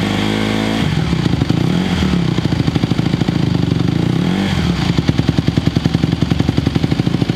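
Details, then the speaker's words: 2020 Honda CRF150R big-wheel single-cylinder four-stroke dirt bike, long sat, started cold on choke; fires crisply, picks up cleanly on each blip, revs fall back without stumbling; still a little cold, throttle response better choke off; normal running. "it does feel better. It's still a little cold. I think these guys are a little cold-blooded, but throttle response with the choke off did feel better."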